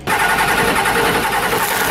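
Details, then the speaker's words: 1990 Ford F-Superduty with naturally aspirated 7.3 IDI diesel: loud, uneven clatter with a ragged, lumpy beat, after a hard start and white smoke; a rough-running engine from a bad injection pump. "sign number three a rough running engine so now you got everything you got the hard start the white smoke and"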